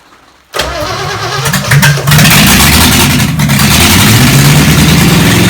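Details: Chevy 283 V8, sat for a while, run on the shop floor after ignition timing advanced a bit: cranks briefly, catches quickly, settles into strong steady even rumble; engine running healthy.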